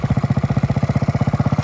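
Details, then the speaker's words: 1969 Honda Z50 (Z50A) mini bike, after full tune-up, oil change and valve adjustment, a little cold at first. Steady, even single-cylinder putter at about twelve firing pulses a second with no misses or knocks. Idles cleanly; running and riding good. "It's a little bit cold at first. Okay, there we go, guys. Got this thing running. Seems to be riding good."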